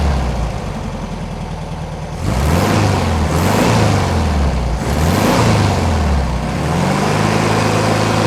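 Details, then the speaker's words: 1971 VW bus after sitting over two years, with new carburettor and plugs, wires, valves and tune-up, slightly warm with choke off: even idle and clean revs that rise and fall smoothly; engine running normally. "yeah she has a bunch of stuff she needs to burn out of her that's all they off the choke so judge idle sounds good engine sounds happy"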